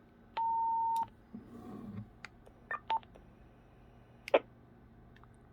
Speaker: And then we can just clear out the emergency.